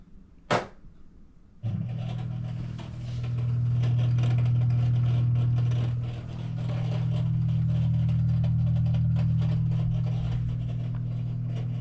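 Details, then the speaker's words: LG front-load washer on drain cycle, before drain pump replacement (4681EA2001T): steady low hum about 120 Hz with no water moving, washer left full of water; failed drain pump. "that's what it does it makes the sound and doesn't work at all in the uh uh it doesn't drain the water the water got stuck in the washer"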